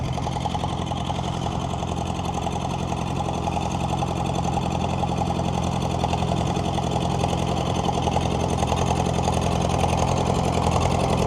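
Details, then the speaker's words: David Brown diesel tractor after sitting 10 years: slow idle with steady beat and soft recurring pop underneath; owner suspects setting the valves may cure the pop, unconfirmed. "I'd say actually just needs a set of set the valves on it, she might come a bit might that pop might disappear out of it."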